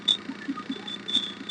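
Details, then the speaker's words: Maruti Suzuki Omni MB-5 at idle: sharp, high belt-like chirps every fraction of a second, louder when clutch pedal lightly touched, gone when fully pressed; dry clutch release bearing squeak. "ക്ലച്ചിലൊന്ന് കാല് വെക്കുമ്പോൾ sound കൂടുന്നുണ്ട്, ഒന്ന് press ചെയ്യുമ്പോൾ ആ sound പോകുന്നുണ്ട്."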